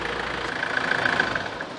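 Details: 1993 Nissan Terrano diesel with a hard-starting complaint, idling after the feed pump was bypassed by joining the fuel lines. It starts at one click; the feed pump's one-way valve likely stays open and lets diesel drain back to the tank. Steady idle clatter, no misses.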